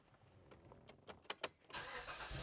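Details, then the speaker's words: 2010 Mazda 3 daily driver right after starter replacement, which had cranked slowly and sometimes failed to crank when hot: brisk starter clicks, short crank, fires within a second and settles to a steady idle; normal cranking and start. "Oh, so much better. Listen to that."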